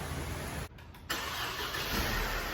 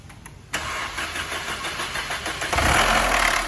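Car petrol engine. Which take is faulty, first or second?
second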